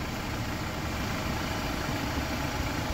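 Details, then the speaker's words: Jeep Wrangler JL 2.0 engine fully warmed after about 15 km of driving: smooth, even idle with no tapping or knock; the cold-start knock heard earlier is gone, healthy warm idle. "Так, ну и вот сейчас машина полностью прогрета. Я проехал порядка 15 км. Гараж заскочил. И сейчас этого звука нет. Вот сейчас мотор работает идеально."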